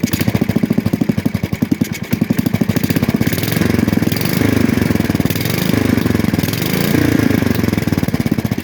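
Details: 1966 Custom 6 engine after reassembly with a new starter-generator bearing, pull-started off the pulley side. The single cylinder pops evenly at about eight beats a second, swelling slightly with speed. It smokes from water in the bore and oil on the block. Normal running.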